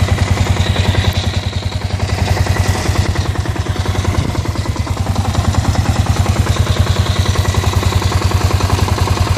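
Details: Kawasaki KLR650 single-cylinder at idle making strange noises since the winter layup: firm knock-grind about three times a second, locked to engine speed over the exhaust thump; owner asks what it is, source undetermined.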